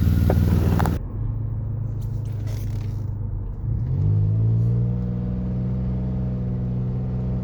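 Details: 2006 Lexus GS300 with dual exhaust, driving: a loud, deep, rough exhaust drone that swells as the engine pulls, from a bad exhaust leak.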